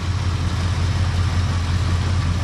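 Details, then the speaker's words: 1959 car with a 326 cubic inch V8, sat for a few weeks without starting, cold start: a deep, steady low burble with an even beat and no knocks or misses. Normal cold idle. "i'm surprised the battery was even charged up on it enough to fire it up but there she is her like a kitten she'll warm up"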